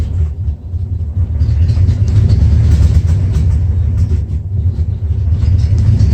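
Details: 1994 Dodge Ram 5.9L V8 with codes 37 and 51, rough idle and backfiring: uneven lumpy idle rumble, caused by a failing crankshaft position sensor; replacing it restored normal running.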